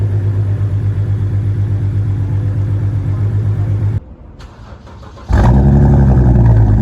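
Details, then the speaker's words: BMW 330i petrol six after spark plug, Vanos actuator and valve cover gasket service, misfiring on cylinders three and four at start; lumpy uneven idle; cleared after swapping those coil packs, possibly a loose or poorly sealed coil. "गाड़ी start तो हो गई थी but miss fire कर रही थी on cylinder number थ and फ"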